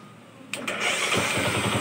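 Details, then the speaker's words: Kawasaki Rouser LS135 motorcycle, previously hard starting and cutting out, valve clearance adjusted, strong compression, tested after CDI found faulty: brief crank, catches at once, even quick single-cylinder idle, no misses; normal start and idle. "Di ba? So napakaganda ng minor niya. Di ba? So isa lang ibig sabihin yan mga idol. Ang problema ng motor is CDI lang."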